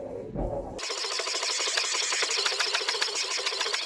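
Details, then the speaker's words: 1991 Ford F-150 after wiper motor replacement, tested with washer fluid spray: even sweeping strokes, washer hiss and steady motor hum with no clunks or binding; the wipers work normally. "well that seems to work so good done"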